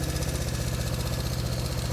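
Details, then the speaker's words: 1970 Honda CB350 twin revived after sitting for years: fast but uneven, loping idle, not running cleanly on both cylinders; spark confirmed, fault suspected somewhere in one carburetor, not confirmed. "yeah so it's it's firing it's just not it's in this carburetor somewhere"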